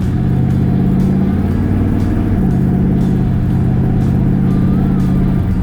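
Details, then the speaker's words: 1967 Chevrolet El Camino, 400 small-block V8 with tuned port injection, Turbo 400 automatic and 3.50 gears, on a road drive; engine pitch climbs, then drops cleanly twice as the transmission upshifts firmly and right on point, without slipping or flare. Normal shifting. "Transmission shifts right on point. You can hear it in the note of the exhaust."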